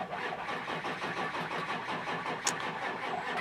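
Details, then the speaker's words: Ford 7.3 Power Stroke diesel no-start: batteries low per volt gauge, starter turns the engine over slowly and laboriously in a steady dragging rhythm that never catches; won't start with batteries that low. "but this is what it sounds like when you're uh when your engine is cranking over a little bit too slow"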